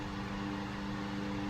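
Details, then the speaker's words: Restored 1938 GE 12-inch oscillating fan (49X929) on speed one, high: smooth even whir and steady motor hum with no ticking, rubbing or wobble; normal running. "and it sounds really nice too let's try the illation here nice wide angle oscillation"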